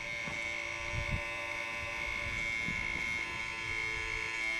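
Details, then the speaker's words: Halloween animatronic prop gear motor whirring with a rough, gritty grinding and uneven clatter from the back; a part inside the motor was not moving right. "I don't know if you guys can hear that but there's like this grinding in the back here so maybe we can get them to get this fixed"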